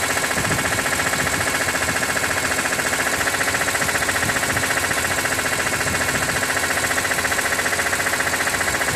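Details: 2006 BMW E46 M3, 42,600 km, warm idle above 80°C oil temperature: steady tick about three per second over smooth idle; source not identified, owner wonders about the oil pump.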